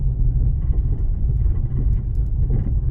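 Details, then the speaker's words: 2007 Toyota RAV4 (non-third-row) at slow speed over a washboard road, camera hung off the right side: dull, fluttering, thunder-like low thumping, not sway bar links or bushings but a leaking front strut; silent on smooth roads. "it almost sounds like thunder in the distance but it's not like a distinctive rattle it's just a like a like a dull thundering type sound when you're on a smooth service obviously you don't hear it it's just on a very like a washboard type surface you'll hear it"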